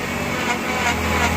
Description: Ao forçar o veículo na marcha ré, o mesmo emite um ruído idem rolamento sem lubrificante.